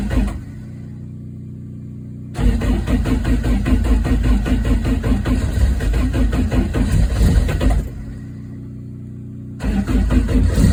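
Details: Ford Escort Mk2 rally car after electrical work, oil pressure watched at startup: engine fires after a short crank and settles into a lumpy but steady run that drops and picks up cleanly, no knocks or rattles; normal start and run.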